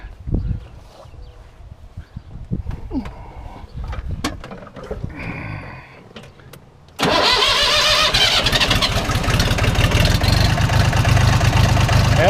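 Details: Jinma tractor that wouldn't turn over, fixed by reconnecting the pulled-loose clutch interconnect: quiet clicks, then the engine catches and settles into an even diesel clatter; starts and idles normally.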